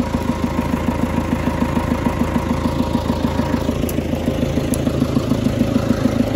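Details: 20+ year old John Deere 555 bulldozer, sat for many years, found with a dead battery (0.25 V), then started: steady diesel idle with an even chuffing beat around a hundred per minute, no knocks or misses; runs fine.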